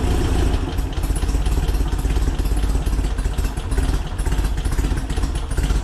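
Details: VW Split Bus air-cooled flat-four upgraded from 1904cc to 1968cc (92 thick walls, SuperStock 37/32 heads, Weber carbs), freshly installed: steady, even low burble with a quick regular beat, no knocks or misses; a smooth, healthy idle.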